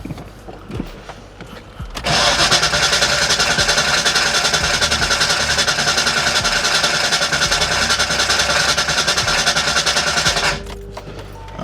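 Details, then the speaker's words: 1989 Ford Mustang GT after sitting over 10 years, fuel flowing to rail and return: brisk even cranking about 3.5 turns per second for eight seconds, never catches; cranks, no start. "I'm just gonna try and crank it once again and see what happens. Hopefully the injectors are firing. Cross our fingers, because Lord knows I could use a win right about now. And it doesn't look like I'm gonna get one."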